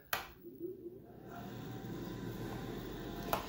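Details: Bathroom heat-lamp/exhaust fan combo after dust was blown out of the squirrel cage with a leaf blower: after a click, a low steady hum with no rattle or scrape; fan running smoothly again.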